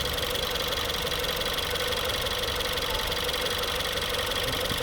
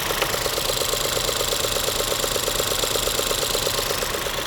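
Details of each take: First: 2016 Ford 1.6L EcoBoost GDI with comeback misfire: smooth, even idle with steady beat, no stumble or skip; power balance test looks great. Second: 2016 Ford 1.6L EcoBoost GDI, new injectors and high-pressure pump 3 months ago: lumpy idle with a regular tick near three per second; single-cylinder misfire, suspected coil boot never contacting the plug.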